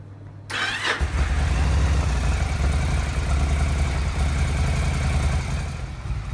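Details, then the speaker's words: Yamaha XVS 1100 V-twin after carburettor full service, refit and valve clearance check, started with choke: quick crank, catches and settles to steady even lope, no misfires; left running to clear airlocks. "i'm just going to leave that running now for a few minutes let all airlocks get drawn through things to settle down so it will take a few miles before the oil gets circulated again and the fuel system becomes compact so that sounded pretty good"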